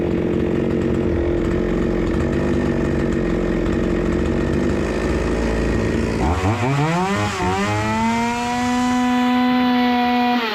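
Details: Proyard 450 cut-off saw, previously not running, after diagnosis and repair: screams steadily at high revs, then drops back and settles to a clean, even idle; responds and runs smoothly.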